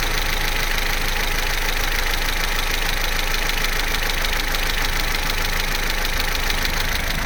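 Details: Vauxhall Corsa C, Z14XEP petrol engine, 86,000 miles, idling while not fully warm (start-up to about 6 minutes): a steady idle with a faint light patter but no clear chain rattle. The timing chain rattle only becomes pronounced at full operating temperature.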